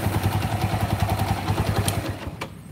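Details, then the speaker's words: Honda Megapro single-cylinder, rough and weak: rapid, even metallic clatter at idle until shutoff; the lower piston skirt is worn loose, causing piston slap with cam chain noise. Rings are still good, so there is no smoke. "Nah ini terjadi nobokonga Lombok Pong itu bodi piston bagian bawah itu udah enggak span sehingga menimbulkan God luck bunyi kayak gitu"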